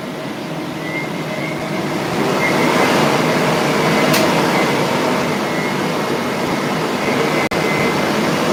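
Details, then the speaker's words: 3D-printed fan for a drone, one of four, not strapped down, after controller recalibration: loud rushing roar swelling over the first seconds with a faint steady high tone; smooth, normal fan spin-up. "I'll try and do a spin up of it really quickly. Because I did it earlier, and I was knocking stuff off the table."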